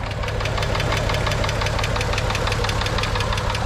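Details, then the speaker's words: VW VR6 Beetle petrol engine at idle before an engine flush: quick steady light ticking over the low rumble; owner suspects a hydraulic lifter. "there's some kind of there's there's some kind of mysterious ticking noise going on it's driving me crazy I'm really hoping it's nothing serious I'm thinking it's like a lifter"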